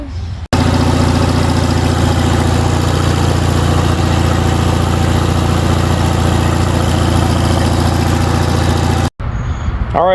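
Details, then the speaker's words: Craftsman Turbo twin 20 hp 42-inch mower with Briggs & Stratton opposed-twin, sat about five years: slow laboured cranking drone, engine never catches; slow crank, no start. "replacing the starter here's the old starter and uh still could not get a good rotation out of it"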